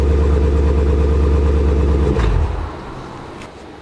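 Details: Jeep SRT nearing 100,000 miles with a Borla ATAK exhaust whose spring-loaded back-pressure valves squeak: deep, even V8 burble with a steady low rumble that drops away cleanly when the throttle is released; healthy, no faults.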